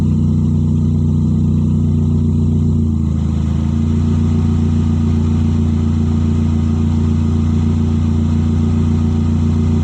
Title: Exhaust leaks sound like Lamborghini?